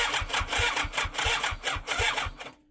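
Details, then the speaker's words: 1987 superbike abandoned 16 years, 8 outside, carbs needing stripping: steady starter cranking with even compression pulses about three or four a second, turning freely but not firing, then stopping; cause unconfirmed. "Yeah, I got no qualms with turning it over because it's not going to do any more damage than is already pre-existing on it."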